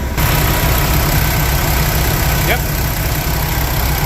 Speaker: sounds about right. No leaks.